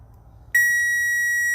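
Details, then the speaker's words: Relay test in a fuse panel using a power probe: a clean, steady high beep that means power is present at the pin, reading 12.2 volts. "That sound means power. So you can see we have 12.2 volts there, which is good."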